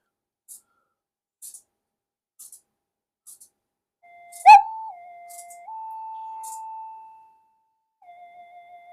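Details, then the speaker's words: Minelab GP Extreme metal detector on the bench with an intermittent fault that starts when the boards are touched: faint ticks, then a warbling 'alien spaceship' tone stepping between two pitches; cause uncertain, not the audio stage. "and then it sounds like an alien spaceship, and then it behaves again."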